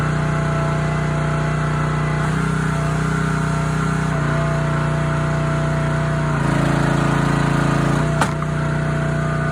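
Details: Honda GX160 on a SplitFire wood splitter after carb cleaning and oil change for bogging and stalling when splitting, test-splitting hardwood: even hum stepping down slightly each time the wood resists, recovering smoothly, no hunting or stalling; sound engine.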